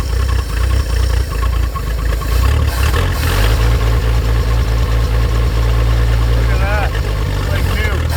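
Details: 1950 Chevrolet Fleetline Deluxe inline six, sitting for years, started on a winter day after jogging the possibly stuck carburetor float: catches and settles into a steady, even low idle with a smooth rhythm; runs normally.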